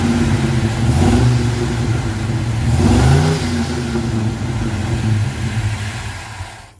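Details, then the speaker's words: 1979 Ford Ranchero V8 after carburetor work: it revs, then cuts out as soon as the throttle closes. It stalls once warm and the choke opens; cause unknown. "You can see it just dies immediately. Let off the gas, it quits."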